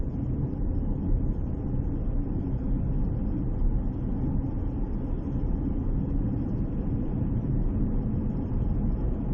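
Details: Chery Tiggo 4 crossover CVT on the move: steady low road and drivetrain rumble with no tone on top; the CVT runs quietly, with no whine.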